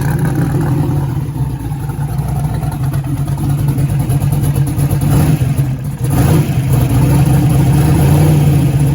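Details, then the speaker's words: 1956 project car's V8 first fired: runs lumpy and uneven with a misfire, stumbling and refusing to rev when throttle opens. "when he first fired it up I'm sure you could hear the uh misfire that it kind of has an RPM um where it like literally just wouldn't RPM"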